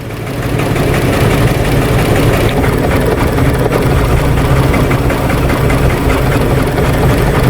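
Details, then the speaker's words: 2014 Chrysler Town & Country 3.6L V6 barely idling, uneven lumpy misfire despite new plugs, coils and injectors; P0300/P0305, cylinders 1, 3 and 5 misfiring with 5 worst, running rich (-33 trims both banks), low manifold vacuum 2.3 inHg. "now we're gonna the car is missing it's barely running it's barely idling"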